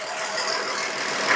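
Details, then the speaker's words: 2017 Jeep Wrangler 3.6 with used replacement engine, cam timing codes P0016/P0018, warm oil pressure about 16 psi: busy hissy diesel-like clatter at idle, loud on passenger side; source not pinned, low oil pressure suspected, not confirmed. "plus this thing sounds rly like crazy she said quote it sounds like a diesel kind of does lots of noise on the passenger"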